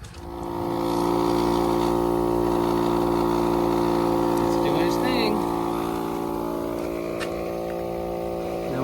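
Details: ARB 12V compressor wired to the battery, inflating flat tires on a Jeep Cherokee XJ that sat 3+ weeks; steady, even motor drone with a quick regular pumping beat and no stumbling, so it is running normally.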